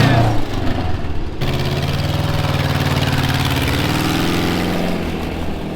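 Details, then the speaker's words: 1978 Volkswagen camper bus, off the road 20+ years, on first test drive after repairs; slow labored crank from a seemingly weak battery catches and settles into a steady, even low air-cooled beat; running much better. "First test drive with it running a whole lot better than it was."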